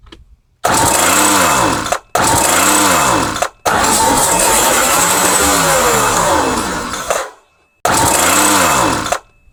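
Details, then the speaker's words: Craftsman hedge trimmer, 21cc two-stroke, fuel poured into carburettor, choke open: four short bursts of high buzzing revs rising and falling, blades moving; runs briefly on primed fuel only. "Okay, yeah, we got it to rev up, and those blades moved."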